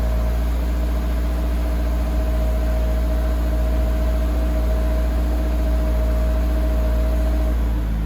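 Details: 2023 Toyota GR86 cold start just after an aftermarket exhaust replaced the OEM exhaust: deep, steady idle with an even exhaust note and no knocks or ticks; healthy cold idle.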